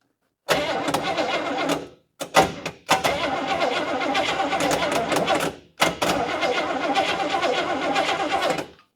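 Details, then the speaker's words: Old barn-find Chevrolet Caprice, carbureted, fuel pump working and not leaking: several long bursts of steady cranking that die away without catching; cranks but won't start, owner suspects a dead ignition switch. "Oh, ignition switch may be dead in that thing."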